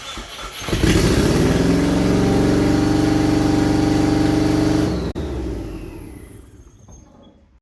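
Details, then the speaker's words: WRX-swapped 1982 Subaru BRAT on its official first start: engine catches and runs about four seconds with an uneven, lumpy lawnmower-like beat before shutting off; rough running, a misfire. "who sounds like a lawnmower he's got a misfire - oh that was the official first start"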